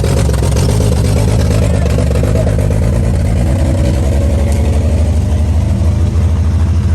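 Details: 1955 Chevy truck inline-six that sat about 30 years with a locked-up engine, now running: a deep, even low rumble with a steady firing beat and smooth throttle pickup. Sounds healthy and clean.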